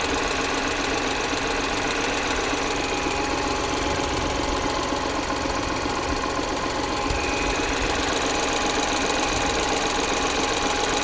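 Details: Lynk & Co 01 PHEV (2022) petrol engine at idle: steady light tapping about two to three taps a second over the running noise; suspected lifter tick, not confirmed.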